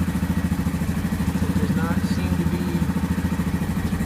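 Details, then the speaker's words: 2015 Yamaha Grizzly 550 ATV, about 129 miles and 20.7 hours, long sitting, previously dying in park and barely cranking; just after replacing a dirty spark plug: no throttle, steady single-cylinder thump holding idle without stumbling or dying. "I have not given it any gas. It is idling."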